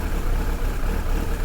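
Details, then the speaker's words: Suzuki GSXR 1100 started with choke on after reassembly, tickover just adjusted. Deep, steady four-cylinder idle with an even beat and no misses, knocks or hunting. No leaks seen: normal idle. "It's sounding alright. No leaks from anywhere yet, which is good."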